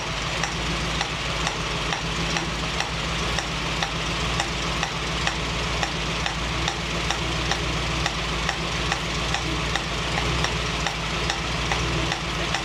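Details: 1965 Mustang GT convertible after new Tuff Stuff 7068K 140 A alternator: constant hiss over idle with soft regular ticking, not changing with speed, a new sound seemingly from the carburetor; cause unknown.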